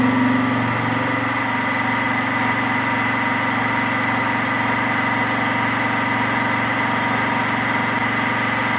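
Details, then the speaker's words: Mini milling machine with 1 HP servo motor upgrade and L050 toothed belt drive, 3-inch fly cutter taking a 0.010-inch single pass on 2-inch-wide 6061 aluminum: steady motor hum and cutting whine holding pitch without slowing; spindle healthy under load. "let's see what happen it doesn't even slow down I bet even more than that"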